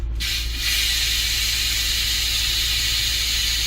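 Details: 2010 Range Rover air suspension (codes C1A06, C1A13, C1A36, limited to 30 mph), engine running after exhaust valve testing with codes cleared. Sharp onset, then a steady loud air hiss over a low engine hum as the vehicle lowers: normal air suspension venting.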